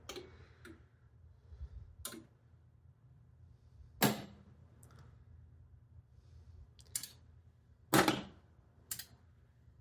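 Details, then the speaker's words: Elvira and the Party Monsters pinball machine in coil test after repair: sharp isolated clacks every couple of seconds, one loud knocker hit; all coils working normally. "Yeah, I hear him. So that was it. They're all working."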